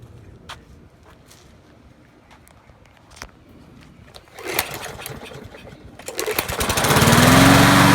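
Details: Poulan 22-inch mower, Kohler 149cc 6.75 engine, final start after oil change to 10W30, replaced wheels, blade and recoil; a few quiet pulls, catches and settles into steady even run without misfires; healthy start.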